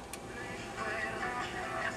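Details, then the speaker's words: 1960 Philco transistor radio switched on after replacing a 10 µF 3 V electrolytic (diagnosed with Philco Trace sheets): faint music steady and clean, no crackle, hum or dropouts; radio now working. "We have sound."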